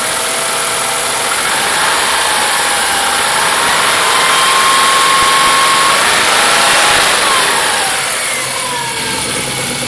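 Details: Cold-start idle with light steady tick about four per second over hissy background; knocking at cold start, cause unknown.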